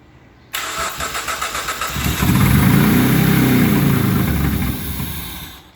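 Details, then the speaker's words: Project Hyundai Elantra fitted with a V6, first-ever start after install; starter whirrs briefly, then engine catches and settles into an even, steady idle; clean normal start. "finally I am pleased to show you the video of the engine starting for the very first time"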